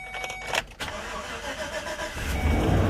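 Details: 2014 GMC Savana (Chevy Express) with earlier crank-no-start and P0230 fuel pump relay control circuit code, after new fuel pump, new relay and a repaired broken wire: starter whirrs briefly, engine catches and climbs to a steady idle, starting promptly and normally.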